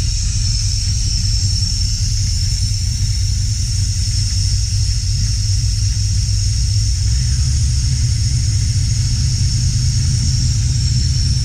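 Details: 1968 Camaro SS V8 after an oil-pressure gauge line leak fix and oil change, idling around 700–800 rpm. Deep, steady rumble with no misses, ticks or knocks; engine healthy, gauge shows good oil pressure.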